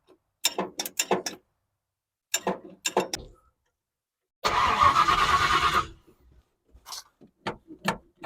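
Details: 1970 Ford Falcon 5.0 small-block after carb clean, fuel filter still dry: starter churns the engine in short, even bursts but it never catches or fires; crank, no start.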